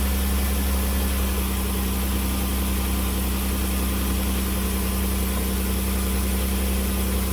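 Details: 2008 Dodge Caravan 3.8 L after replacing broken coolant connector, refilled with heat on, no white smoke from tailpipe: steady even low hum at idle with no misses, knocks or ticks; running smoothly and healthy.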